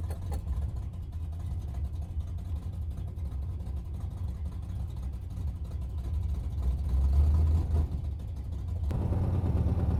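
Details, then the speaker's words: 1971 Plymouth Satellite 318 V8 with a new Thermoquad, driving on the road: a deep, rough rumble that swells under load and sounds loud and leaky. The owner suspects the hastily installed exhaust system is falling off. "Part of the terrible sound is I think the exhaust system's kind of falling off this thing."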